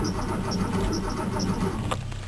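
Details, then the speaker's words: Porsche, cold engine, jump-started from a Jeep after an alternator replacement. A short, labored crank ends in a click and then near silence; it won't fire and then won't crank at all. Owner plans to check battery connections. "Well, you got to realize that the engine's pretty cold. Oh, that's not good at all. Now it's dead completely. Well, it cranked for a little bit."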